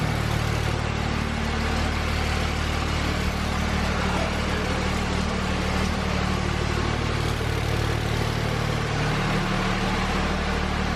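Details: 2004.5 Cummins diesel pickup after installing Flux 130 HP injectors (10mm + S400 setup): steady, even diesel idle with a smooth low rumble and no knocks or misses; sounds healthy.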